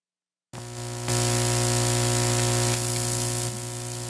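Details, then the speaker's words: Parts Express 240-398 line matching transformer: loud, steady buzzy mains hum starting abruptly; the cable shield is not connected, leaving unshielded twisted pair on a high-impedance unbalanced signal. "so the problem is that the the shield and the cable is not connected so basically they're using an unshielded twisted pair on the high impedance unbalanced signal which is pretty stupid"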